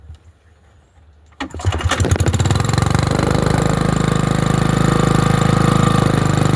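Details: Generator on a cold winter day, fitted with a non-original carburetor and tank, air filter on: after a quiet spell the engine catches and settles into a steady, even idle with a smooth low rumble and no misses; normal running after cold start.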